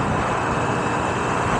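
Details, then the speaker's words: Honda Navi with a slip-on pod air filter and 100 main jet, riding at about 50 mph slightly downhill: an even, steady engine roar with no knocks or misses, deeper but not loud. It runs normally, with quicker throttle response. "and it definitely sounds cool it gives it like a deeper sound it's not loud or anything but you can definitely hear it a lot easier"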